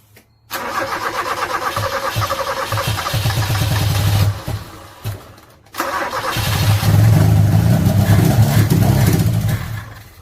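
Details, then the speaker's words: 1986 Toyota Corolla KE70 abandoned for years, start attempt: engine cranks, catches and stumbles unevenly, then surges rough; lots of dirt and apparently water in the carburettor starving it, rough running. "oh there's a lot of there's a lot of [ __ ] in that carburetor we get it thrown long enough that i might draw a bit of petrol never know let's see what happens"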